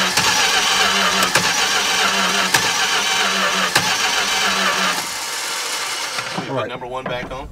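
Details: 1964 car with a freshly installed 318 poly-head V8, cranking but not starting: starter churns steadily about four turns a second with no firing, then stops. Gas seen in the filter.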